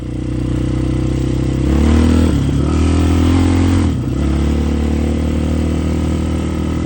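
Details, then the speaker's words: Yamaha Raptor 660 ATV, freshly rebuilt engine, started by jumping the solenoid since the key switch is bad: single-cylinder catches, revs briefly, settles to steady slightly lumpy idle, no knocks; normal idle, needs a little tuning. "Starts right up, sounds good. Needs a little bit of tuning."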